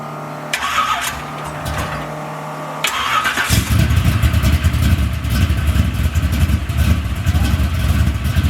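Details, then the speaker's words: Car back from shop with newly built engine, new fuel system and relocated fuel pump, first racing-gas fill: starter whirs briefly, then catches into a loud, deep, lumpy steady rumble; healthy start. "But let me get this gas in here, man, and I'm gonna crank Big Dolo up, let y'all hear it a little bit."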